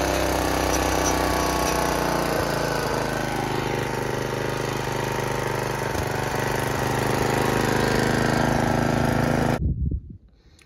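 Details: Free Snapper riding mower, Tecumseh engine, after choke cable adjustment, half choke: steady, even single-cylinder beat around 220 per minute, no misses or knocks until cut off; running normally.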